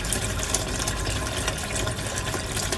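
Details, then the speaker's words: Aquaone MiniReef 150 sump standpipe drain, running RO water, before filter-mat mod: loud steady rushing gurgle with heavy low roar; noisy drain from excessive return flow, much quieter after adding filter mat. "before I added a filter Matt sorry that's pretty noisy"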